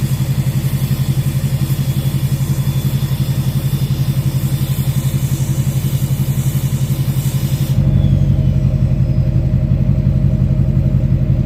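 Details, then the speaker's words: 2006 Chevy Silverado LBZ Duramax diesel, warm, idling on tune four (DSP5 switch) with new 5-inch straight pipe and flow-through muffler; deep, even rumble pulsing around three per second, no hiss; normal idle. "So, this is the one that rumbles at idle. Tunes two and four rumble at idle. The others hiss."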